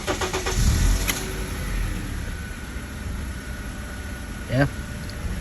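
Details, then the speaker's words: 2009 Acura TSX, coil from cylinder 2 (P0302) swapped to cylinder 4 and misfire followed to cylinder 4: engine settles into a lumpy, uneven idle with dropped beats; faulty ignition coil confirmed. "so I moved the coil to cylinder four now cylinder 4 is misfiring so let's textbook back coil"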